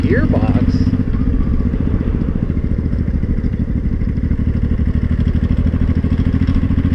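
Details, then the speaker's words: Honda Shadow 500 V-twin, knocking at low rpm for two months, under throttle: fast metallic clatter over the thump, stops off throttle and worsening; loose and broken flywheel bolts lacking Loctite. "yeah that clearly getting worse oh maybe shove your way home and that'll be it for this year cuz that sounds that sounds bad"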